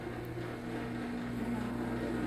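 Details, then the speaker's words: Home garage door opener in Hawaii won't open the door: constant low steady motor hum with no load change while the door stays still; owner suspects a loose chain, not confirmed. "So our garage door is not working. It's not opening, so we cannot get out from here. So look, it's not opening. It's just making that sound."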